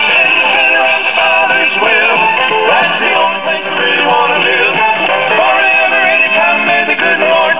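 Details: 1964 Philco AM vacuum-tube clock radio after replacing power-supply electrolytic capacitors and the across-the-line capacitor: clear station music with a thin, treble-limited AM sound and no low drone underneath; hum eliminated, power supply filtering cleanly.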